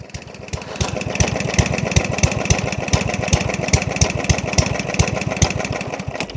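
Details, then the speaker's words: Yardman 139cc overhead-valve mower with carburettor jets drilled out to 3mm, running diesel-like on non-volatile fuel: lumpy, uneven put-put of three or four firings a second, slowest idle yet; oversized jet, owners fear it was damaged. "No. She's so so slow. I don't know how she's saying right now. What the freak? This is the slowest it's ran. >> That's the slowest idle."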